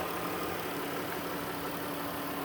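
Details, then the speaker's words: 2019 Dodge Caravan SE Plus mobility van, 3.6 V6, 125 miles, hood open: smooth, even hum with faint steady tone, no knocks or misses; normal healthy idle. "Let's pop the hood so you can listen to it run. Underneath the hood, it has a 3.6 V6 engine."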